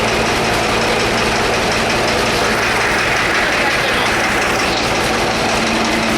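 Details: Two-cylinder engine started with starting fluid: heavy, loud hammering knock at every firing beat over a rough idle, like hammers beating on the block; connecting rod knock, though it idles well.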